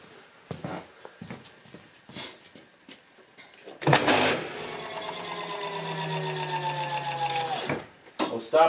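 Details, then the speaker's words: Hub motor on dual Nucular 24-FET controllers, wheel off the ground, throttle opened to about 50%: harsh rapid ratcheting buzz with rising whine as the motor stutters violently at 0 RPM. "so that time was like about 50 throttle but you still heard it stutter for a second there now it's totally stopped again violent"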